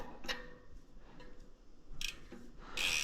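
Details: Ozark Trail FS2 Slalom mountain bike rear hub after tightening the loose cassette lock ring: a few crisp ratchet clicks with no more clunk, then a burst of hiss.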